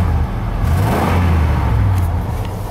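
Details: 1990 Chevy K3500 dually with a 454 V8, high mileage, three-speed plus Gear Vendors splitter, revving roughly with stumbling pulses. Owner says it is missing because it's not getting enough fuel. Engine misfire.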